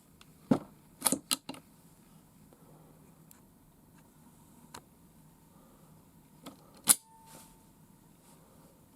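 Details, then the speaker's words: Marlin/Glenfield Model 60 rifle after fixing a stovepipe (failure to eject/feed) problem and reassembling the action: bolt racks back and snaps home with crisp clean metal clacks, no drag or grinding, cycling freely. "that's the way it should operate that sounds like music to me"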